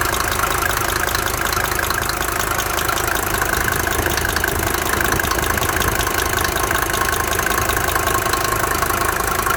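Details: Mercedes 190D 2.5 OM602 diesel: steady idle with a regular light knock, about two to three per second, over normal clatter; owner suspects bad hydraulic lifter or injector, unconfirmed.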